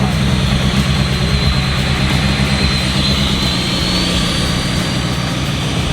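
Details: Freshly built SR engine idling just after its first start. Even, fairly lumpy idle with a steady low rumble and no knocks or misfires. Normal idle.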